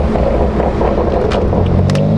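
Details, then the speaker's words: BMW M4 on newly fitted coilovers, first drive around the block: only a steady low road rumble over the bumps, with no rattles or clunks from the suspension that used to rattle. Quiet suspension over bumps. "I'm not going to lie the suspension is one of those things that made me like not want to drive this thing and now like going over those bumps nothing no rattling"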